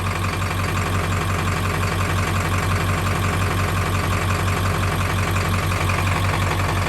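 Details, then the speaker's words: 7.3 Powerstroke diesel at idle before an oil change, decibel meter a couple feet from the front reading about 80 dB: steady clatter with a dull, fairly regular knock underneath; knock cause unconfirmed, later less prominent on Rotella T6. "there is a few decibel difference in there, and you could actually go and hear, if you listen, like that knock. It was very prevalent on the first recording and not so much on the second."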